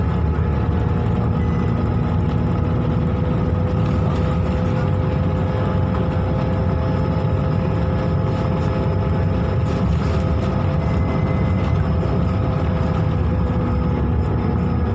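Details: 2009 Scania K280UB bus with Volgren CR228L body, 9.3 L five-cylinder DC9 diesel, heard from inside: loud steady whoosh over the diesel rumble with a faint high whine; owner suspects overheating made the cooling fan run extra fast.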